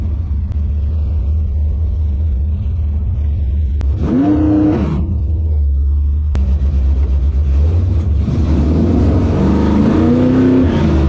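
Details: 1957 Chevy delivery with Hilborn mechanical injection, warmed up after valve lash set by feeler gauge: lumpy uneven idle stumbling and bogging on each throttle blip; owner suspects lean misfire, maybe too little fuel needing a pill change.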